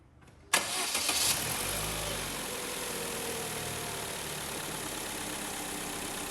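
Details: Chevrolet/Holden Cruze 1.8 after rocker cover gasket replacement for oil leak: quick crank, clean catch, brief flare settling into smooth even idle with no ticks or rattles; healthy start.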